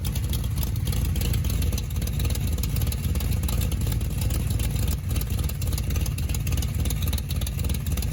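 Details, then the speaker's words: 383 stroker V8 in a 1972 Chevrolet Camaro, sat since 2011, idling: loud deep idle with rapid ragged puffing and chuff at a leaking header flange, strong enough to blow a rag. "let's slip it on the header there is what is pretty much just sounding terrible"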